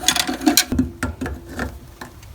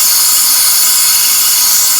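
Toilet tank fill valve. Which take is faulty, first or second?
second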